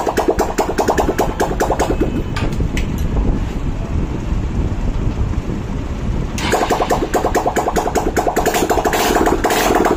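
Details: Hero CBZ Xtreme single-cylinder after a seized-piston repair with new piston and valves: steady, even putter at about two and a half beats a second with no knocks or ticks; normal, healthy idle.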